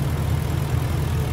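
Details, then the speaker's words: Ford F-150 5.4L 3V Triton with P2195/P2197 stuck-lean codes and rough running, intake vacuum source capped off during vacuum leak diagnosis: a steady, low, smooth V8 idle with no misses. Fuel trims are now self-correcting. "it sounds better running smooth"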